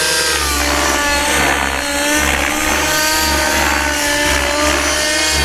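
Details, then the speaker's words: RC helicopter after its rotor blade tracking was corrected: the engine whine rises and falls through the roll with a crisp, even blade swish and no raspy noise at the end of the roll; normal rotor blade noise. "you hear like late noise like but you don't hear that raspy [Music] you don't hear that raspy nests at the end of the roll so in my case it was the tracking"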